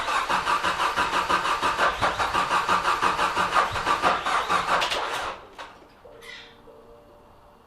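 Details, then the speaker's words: Nissan S13 200SX CA18DET, after a fallen pin let the cam belt jump a couple of teeth: even starter cranking about three beats a second for five seconds, no firing; crank no-start from cam timing out. "So it looks like we found the problem. We're on time here, we are not on time here, which means when that pin fell, it must have jumped on the belt and made us jump a couple of teeth."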